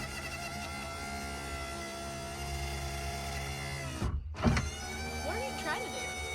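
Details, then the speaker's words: Power window motor on an all-original 1982 Camaro, new switches already fitted: a strained, uneven whir that stops briefly, then restarts with squeaky chatter. Slow, labouring motor; the owner suspects the motor itself, not confirmed. "I bought new switches for it. I know, I saw that. It doesn't sound very good."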